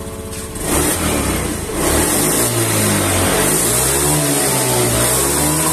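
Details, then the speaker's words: Honda Beat ESP scooter after repairing chafed wiring that shorted to the engine body (code 52) and resetting the ECM: the engine picks up cleanly on each throttle twist, pitch rising and settling smoothly with no stumble; response restored. "[Musik] motor kembali respon ya teman-teman"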